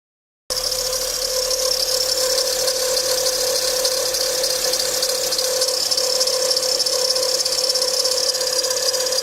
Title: Bad tensioner bearing Acura TL 07 Type S